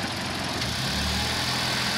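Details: Hyundai i20 Sportz with complaints of engine vibration and a tak noise when shifting into first and pulling away: an even, low engine hum at idle under hiss, with no knocking or thumping.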